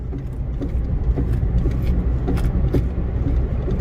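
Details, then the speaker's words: 2012+ Chevy Sonic/Cruze idling while the steering wheel is rocked left and right: faint sharp clicks about every half second from the front right; sway bar bushing or links suspected, worn sway bar links found. "you can hear it as well, left and right. And that could be your sway bar bushing or a sway bar links as well, you know."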